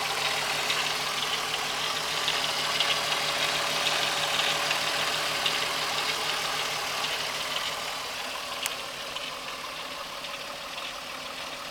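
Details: 12v VR6 petrol engine at idle: a fast, fairly even light ticking or rattling rides over the hiss of the running engine.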